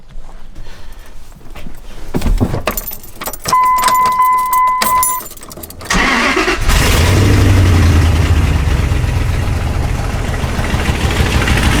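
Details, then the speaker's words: Neglected second-gen diesel pickup starting after keys and door chime, idling with loud raw puffing; rotted, cracked headers leaking badly, whole exhaust needs overhaul. "so as you guys can hear the exhaust on this truck is well it's less of an exhaust and more of just a big exhaust leak"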